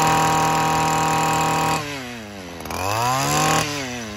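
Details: Stihl FS 94R two-stroke trimmer, cold first thing in the morning after a tune-up, during carburetor adjustment: high buzz holds steady, dips sharply, then climbs back, no stumble or bogging now; owner reports it normally bogs by midday.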